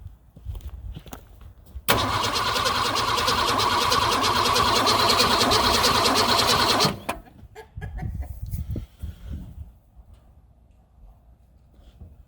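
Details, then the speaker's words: Ford Falcon of uncertain year (1962–65), battery and wiring just reconnected during restoration. About five seconds of steady, even cranking with no firing; it turns over but won't start. Owners wonder about fuel delivery or timing; cause unconfirmed. "all right if you guys heard anything that sounded like bad fuel delivery off timing or anything like that please let us know"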